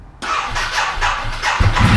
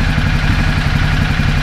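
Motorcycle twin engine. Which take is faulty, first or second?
first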